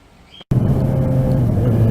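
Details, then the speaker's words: 2013 Yamaha XJ6N four-cylinder, right after fitting a Leo Vince exhaust with dB killer: a much louder, deep, throaty, steady rumble with slight drone. Normal running with a loud aftermarket exhaust. "So as you can probably hear, right off the bat, it's much louder. But from what I can hear, it's got the perfect tone that I was actually chasing, because I wanted a nice deep sounding bike."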